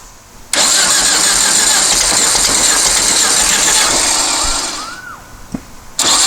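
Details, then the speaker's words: Long-stored dune buggy/sand rail, now on the truck battery, with the fuel shutoff solenoid and choke powered: cranks and catches, then runs loud, rattly and uneven for about four seconds before dying; idle needs raising. "wrong wow that was pretty amazing all right well figure out where the idle adjustment screw is try to idle this up a little more"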